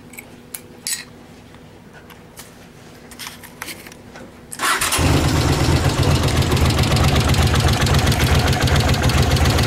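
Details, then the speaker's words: Honda CX500 twin with leaking front seal, on fresh gas: starter catches and settles straight into an even steady idle near four beats a second, no misfire; running much better than at first start. "it's actually running a lot better than it was whenever I first had to start it up"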